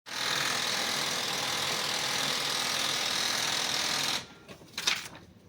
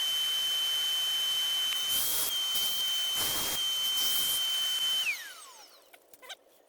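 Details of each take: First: Ricoh IM C2000 copier running before repair: harsh, hissy, rapid rattling grind from a seized waste toner drive gear. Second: Ricoh IM C2000 copier after grinding-noise repair, gears now rotating freely: steady high-pitched motor whine with soft feed rustles, then smooth spin-down, no grinding.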